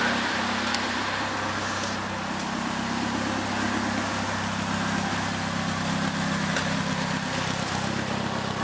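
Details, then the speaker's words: Second-hand Triumph Dolomite 1300 engine just fitted to a Gentry MG TF replica, warmed up after first start: smooth, even low exhaust burble at steady pace, no misses or knocks; healthy running exhaust note. "sounds really sweet I'm really pleased with that engine so far let's see if we can just let you hear this nice exhaust note that just"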